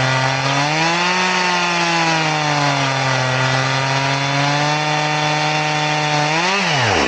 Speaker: So will it work? Yes. Do I recommend it? No. It's slow. Very, very slow.